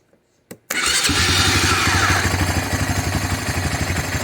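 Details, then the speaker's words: Honda 300 FourTrax on a 420 Rancher EFI system, now with a smaller injector because it ran too rich, plus a new spark plug: it starts instantly and holds an even single-cylinder idle after 10 minutes. Normal start and idle. "see it just fires right up immediately and it already sounds like it's running better with less fuel so it's already been idling here for like 10 minutes with the new spark plug"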